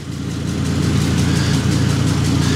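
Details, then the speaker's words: Lifted 2005 Ford Super Duty, 6.8L Triton V10, idling with a quick, regular ticking or puffing. Owner suspects an exhaust leak, but shops say it is an engine noise, and a stethoscope could not locate it. Rhythmic ticking at idle, cause unknown. "That's what I think is an exhaust leak. The exhaust shops tell me it's definitely not the exhaust that's leaking and that it's an engine noise."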